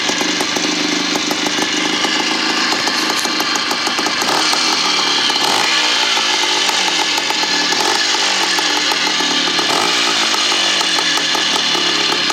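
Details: 1975 Bultaco Sherpa T 350 type 159 two-stroke single after rebuild: crisp rasp with quick clean throttle blips, picking up and dropping back evenly, healthy.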